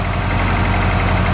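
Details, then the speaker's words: Honda (OBD1 B18B1) cold idle slightly high: even, steady idle, regular firing, no hunting, surging or misses; idles normally, though it still cuts out under load. "and just so you guys can hear how well this car actually idles this but I mean it's cold idle right now so it's a little high"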